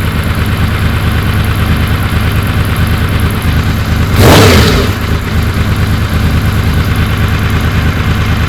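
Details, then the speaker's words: Honda VFR750 V4 on the lift after slow-screw O-rings were removed and the screws cracked out a quarter turn on each carb: steady, even idle, one quick rev climbing cleanly and dropping back. Response was anemic before; not yet road-tested. "yeah she seems to snap up pretty good on throttle it was rather anemic before even sitting on the lift"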